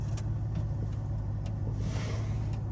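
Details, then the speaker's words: BMW E39 5-series (1996–2003) with a newly replaced fuel pump, key in accessory mode and a weak battery: a steady low hum holds evenly for three seconds; the new pump is priming normally. "So you're gonna see if this is working right here. We're gonna hear it. You're gonna hear a hum. Alright. Oh, it is working."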